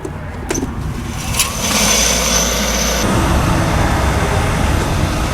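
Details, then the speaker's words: Squirrel-cage blower inflating double-layer greenhouse poly, fins just cleaned of dust and bugs: brief clatter at start, then steady even rushing hum with no knocks or rubbing; normal running. "Sounds like it's working good. So we'll check back in about 15 minutes and hopefully these 2 layers are nice and tight like a balloon."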